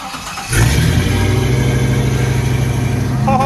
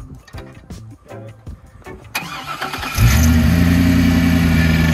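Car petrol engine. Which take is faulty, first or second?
second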